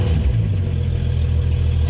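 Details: Classic Dodge after alternator and voltage regulator replacement, original belt reused, gauges rising: even, steady low rumble with no misses, knocks or belt squeal; running correctly.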